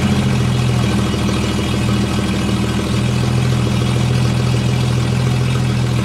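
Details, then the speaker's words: 1954 Chevy 3100 pickup, original 235 cu in (3.7) straight-six, cold, 110–120 psi compression on all cylinders; idles steadily with low rumble and uneven puffing chuff from holed exhaust pipework, no valve noise. Exhaust leak. "so as you can hear the exhaust but that just turns Idols lovely very very nice quiet"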